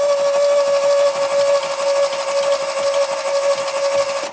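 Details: 2016 Smart car, 127,000 miles, losing power for two months then quit, no codes, RPM signal present: starter whines and spins quick and light with soft even pulses, no firing; low compression from late valve timing.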